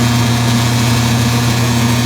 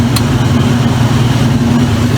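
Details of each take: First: Circa-2003 Maytag Oversized Capacity Plus top-load washer, final high spin after rinse: steady low hum with buzzing rattle, the control panel vibrating from the motor. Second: Circa-2003 Maytag Oversized Capacity Plus top-load washer spinning at about 600 rpm: steady low rumbling hum with mild even shake, top wobbling; spinning smoothly and normally.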